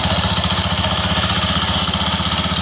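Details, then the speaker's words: Honda Beat FI scooter with the CVT cover removed: steady idle with fast metallic jingling and ticking from the rear pulley clutch, caused by a loose, wobbling plate on the clutch lining. "Ya jadi ini berasal dari bagian sini, bagian puli belakang itu yang kampas gardanya ada platnya itu kendor ini."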